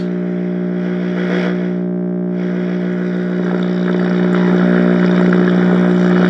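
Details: Zenith X114W tube radio, chassis 5M04, at first power-up after warm-up; loud steady buzzy low hum drowning faint stations; bad power-supply filter capacitors.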